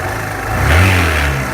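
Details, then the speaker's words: Suzuki Van Van motorcycle at 12,300 km: quiet at idle, but when revved the note climbs and picks up an extra rough mechanical rasp, first noticed about 4,000–5,000 km earlier; the source is unclear and the owner has since changed engine oil. "now while it's idle you don't see any weird noises right but once you started to ready it"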